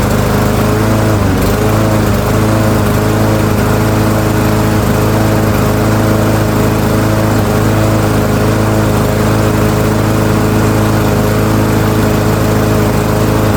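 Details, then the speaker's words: Yard Machines by MTD self-propelled mower, PowerMore 139cc OHV engine, customer says won't start, before tune-up, choke on: steady even putter at constant speed after a brief dip at start, no misfires or rattles; runs fine. ">> Okay, so customer's complaint not verified. Mower runs just fine."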